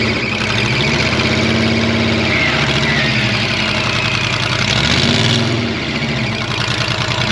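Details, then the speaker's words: Monster truck being pulled out of a pond after breaking something in the drivetrain; engine labours with a harsh, uneven grinding rattle under load; transmission or drop box suspected, unconfirmed. "Negative. No. That sounded really bad. That sounds really nasty. Is that the transmission and the drop box?"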